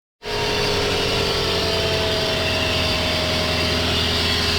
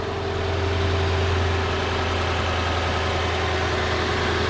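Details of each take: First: Lexus LS460 at idle, front of engine: constant whirring hiss and faint tones from worn serpentine belt tensioner and idler pulley bearings, before replacing the tensioner and idlers. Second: Lexus LS460 V8 idling after replacing the serpentine belt tensioner and idler pulleys, which had been noisy: steady smooth idle with an even low hum and no squeal, chirp or rattle; pulleys now silent.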